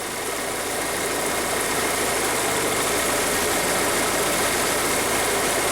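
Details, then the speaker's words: VW Passat 1.8T that overheats despite new thermostat and water pump, radiator fan powered directly by paper clip on its connector terminals: strong, even rush of air at high speed, no rubbing or rattle; fan works normally on both speeds. "I think you could probably hear that especially on high speed that's high speed there that's low speed it is working on both of those"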